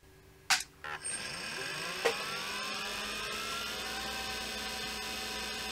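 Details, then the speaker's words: IBM PS/2 Model 30 hard drive with a scratched platter, after a homemade head-position recalibration fix that returns the head to position zero. Sharp clicks as the head sweeps, then a rising whine settling to a steady hum. Normal spin-up and head seek. "so we'll make a little bit of mechanical noise but then you will definitely go back to position zero so it shouldn't happen again during normal use"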